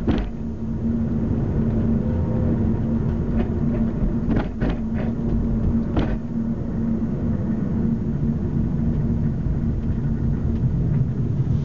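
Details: 2005 Mazda 3, recorded from the trunk: sharp, irregular clunks from the rear, maybe driver's side, over steady road rumble on every bump; the noise does not occur when the brakes are pressed.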